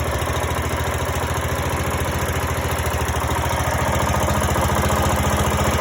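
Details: Greenfield E2000 ride-on mower, 17HP Briggs & Stratton Intek OHV, sat for years, revived with starting spray: even steady low idle, regular beat three to four per second, no misses or knocks; runs well, no tune needed.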